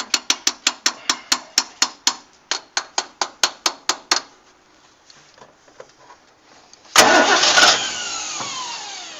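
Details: Barn-find 1960 Ford Falcon Ranchero, long parked, with fuel just being fed to the carburetor bowl. Starter spins steadily at about two beats a second, pauses, then one rough catch flares and dies. Cranks but won't start; cause not confirmed.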